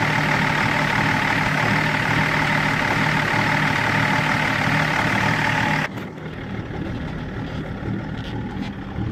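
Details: BMW E39 530d diesel with INPA values checked: uneven, lumpy idle beat around three pulses a second over a steady clatter; rough idle, cause not clear.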